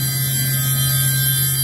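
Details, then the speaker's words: Hitachi VS40 spindle test run and break-in after installing the top tapered roller bearing, with the oil chiller running: wound up on override to 8,000 rpm at 20% load, no heat; steady, even hum with no grinding, rumble or knocking. "I'm going to crank her up with the override 6,000 8,000 9,000 oh excuse me 8,000 a minut so at 8,000 I got 20% on the load"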